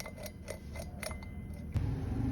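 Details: Motorcycle wheel bearing spun by hand: uneven dry clicks and crackles showing wear.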